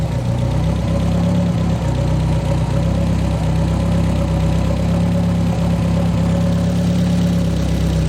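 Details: The "200" with a bad misfire persisting despite ignition work, exhaust cut free: lumpy idle with an uneven beat and slight stumbles. Misfire present, cylinder and cause unclear.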